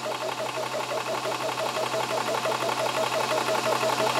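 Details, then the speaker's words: WULF PCP air compressor filling after motor switched on: loud even pumping throb near three beats a second over a steady motor drone, unit shaking (normal) as pressure climbs toward auto shut-off; normal compressor running. "so all we do is motor on that bottom button there and you'll hear the motor turns on as you can see it does start shaking a fair bit that's normal and the pressure starts to"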